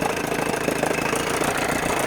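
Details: 1980 Evinrude 4.5hp two-stroke outboard after carb rebuild, pulse tube diaphragm fix and float adjustment: steady, even idle with crisp rapid beat, no stumbling or stalling; running healthy.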